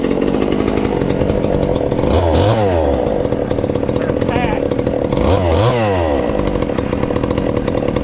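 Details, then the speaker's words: Ported 2375 chainsaw with choke hooked up, still on pump gas before the alcohol goes in: idles, and revs climb and fall cleanly on throttle blips with a slight burble. Runs fine, a touch rich. "oh that's not too bad and she's still fat and happy there but i believe we get that alcohol in it um should turn on up a little bit"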